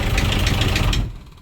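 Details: Sea Ray 240 Sundancer diesel not started in a while, electric fuel pump primed first: diesel catches almost at once and runs with an even heavy chug, no misses or stumbles; normal start and idle.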